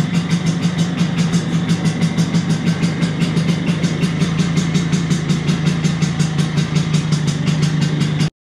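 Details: 1983 Vespa PX125E, first start after six-month full restoration: overhauled engine, new crankshaft, new 177cc cylinder kit, new bearings and clutch discs; crisp even putter about six beats a second, no misses or knocks, until shut off; normal idle.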